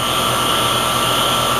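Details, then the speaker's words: HVAC unit that was short-cycling with a suspected faulty TXV, running in heat mode bypassing the TXV: steady whooshing fan and even compressor hum, no surging or rattles; normal operation in heat mode. "we are running in heat bypassing the TXV and we have normal operation"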